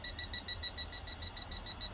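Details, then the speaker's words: Toptes PT210S combustible gas leak detector with swan-neck, tested on a small deliberate gas leak in a caravan: quick high-pitched beeps about five a second, steady and even over a quiet room, alarming at once on leaking gas. "Oh see if I've got a gas leak go in here oh yeah see it's beep beeping straight away when the detas miles"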